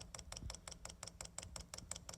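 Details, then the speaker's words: Chinese diesel heater on a bench test, first fire-up, dosing pump priming as fuel reaches and lubricates it. Light, crisp, even ticks about five per second with nothing rough behind them. Normal pump ticking. "here it's speeding up getting something that fuel in our lubrication once that fuel gets in that fuel pump and search lubricating it it should quieten down quite a bit to"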